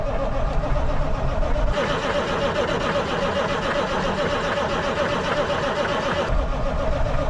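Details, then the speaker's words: 1980 K Whopper picker truck diesel just fired up with the throttle to the mat, oil pressure showing; uneven, lumpy idle with ragged clatter after long storage; the engine runs rough. "that's right to the mat got oil [Music] pressure she's not a happy dirty old comment to tell you that she is not impressed right [Music] now"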